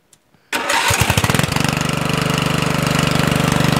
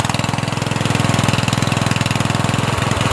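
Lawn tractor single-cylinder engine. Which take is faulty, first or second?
second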